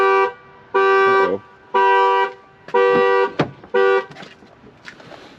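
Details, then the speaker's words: 2012 Ford Focus flooded to the roof in Hurricane Helene, sitting for months, key turned: alarm horn honks in steady clean loud bursts about once per second; alarm system working normally, BCM getting power. "alarm's going off that's good right"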